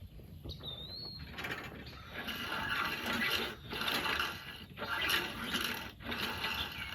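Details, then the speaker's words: 22-inch Murray push mower, 5 hp Briggs flathead, unrun 20 years: repeated quick rope pulls with light ratchety whir and no compression thump; recoil pawls not engaging flywheel. "it's not engaging the engine can you give it a couple quick Yanks maybe that will help separate those little fingers they'll come in contact with the flywheel"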